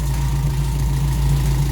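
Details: Toyota Corolla KE55 4K-C warmed up after first start, thermostat working with no coolant leaks, missing vacuum lines refitted. Low, steady hum with an even idle beat and no misses, knocks or hiss; idling smoothly.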